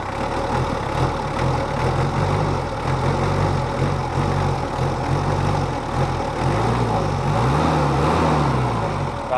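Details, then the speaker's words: Mitsubishi Kuda diesel after nozzle replacement, engine still cold: low, even idle with a soft, steady beat and no harsh knock or misfire; new nozzles give a smooth, not too harsh sound, normal diesel idle. "suaranya sih saya inginnya itu tadi seperti mobil 30 tapi ternyata terlalu kasar akhirnya kita cari ini yang kita dapat suaranya halus enggak terlalu kasar atau kering sudah pas tinggal kita test drive aja"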